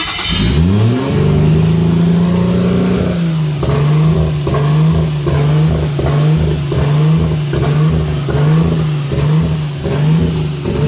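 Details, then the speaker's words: Nissan RB25 Neo with a high idle problem: engine flares on start, then idle hunts up and down about once a second; owner suspects an air leak, with the ECU likely cutting spark to pull it down; not confirmed. "So what you guys just saw would be me searching for the air leak that's on here, causing it to surge like that at idle. So it surges up, and then the ECU probably cuts spark to drop it back down, but then it surges back up again."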